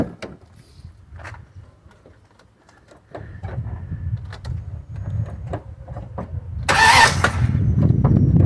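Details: Jeep with a salvage-yard engine, after replacing the ignition coils to cure poor cold starting: quiet clicks, one short crank, catches first try without the usual double tap and settles to a steady idle.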